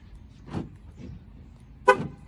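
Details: 2013 Ram key fob, reassembled after the repair and rechecked: two short horn chirps about a second apart, clean and distinct, with a faint lock click between; remote and horn responding normally.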